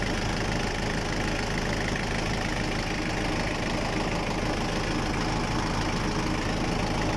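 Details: Diesel engine that had been struggling to start, heard after the repair: an even, low diesel clatter at a steady idle with no misses or surging; normal idle.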